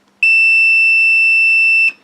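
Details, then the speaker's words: Multimeter continuity test on a new flight control board in a 210-size quad: single steady beep about a second and a half, positive shorted to ground with no visible cause. "so basically that the positive is somehow going over to the negative and visually I haven't got a bloody clue why"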